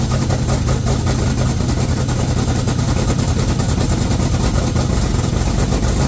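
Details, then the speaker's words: 1969 Cutlass twin-turbo on its first start, blow-off valves not fitted: loud, lumpy idle with a choppy, uneven pulse; rough running expected because it has no MAF or O2 sensors. "She gonna run rough. She does really rough because she don't have a MAF and O2 sensors."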